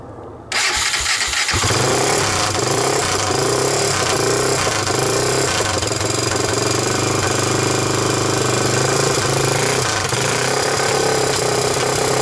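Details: 1998 Honda TRX300EX single, choke on with portable CDI box, just started after oiling the intake valve seats to overcome low compression: catches within a second and settles into a steady, even run with no knocks or misses; normal running.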